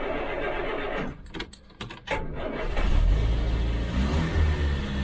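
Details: Land Rover Series III 109 van after long storage, with a borrowed battery and primed fuel pump, started on choke in neutral: the starter cranks briefly, then the engine catches and settles into a steady, even low rumble; a normal start.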